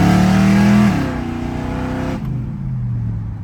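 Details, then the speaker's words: Willys hot rod with small-block V8 after tune-up and ignition timing adjustment (initial timing had been about 25°); strong rev climbs cleanly, revving up much faster, then eases to a steady low rumble with no stumble or misfire. "It's revving It's revving up a lot faster, do you hear it?"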